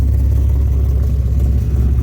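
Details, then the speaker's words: Nissan 370Z: a deep, loud exhaust rumble with rapid choppy pulsing and a carbon monoxide smell, caused by a leaking flex pipe on the Y-pipe. A new Y-pipe is planned. "x pipe the flex pipe right here is leaking that's why you hear that chopping noise and the carbon monoxide"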